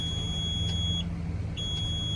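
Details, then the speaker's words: Junkyard garbage truck on jump from another truck for about 15 minutes, batteries under 10 V: two long high-pitched beeps over a low idle rumble; battery voltage too low warning. "that voltage is still too low"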